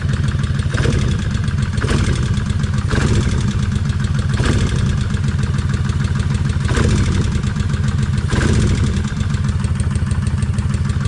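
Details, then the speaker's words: Kawasaki Vulcan 1600 V-twin idling after 8.2 miles of riding: a lumpy idle with a light tick about once a second, still tapping. Owner suspects lifters not yet pumped up and quieting. "yep I still here yep it's still tapping I can hear that with the helmet on"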